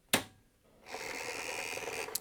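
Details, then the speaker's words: IBM 7496 spare 720K floppy drive after replacing the inductor and a tantalum capacitor: a click, about a second of whirring buzz, then another click as the heads move to track zero normally. The drive later still fails to boot. "And now the heads are moving to track zero."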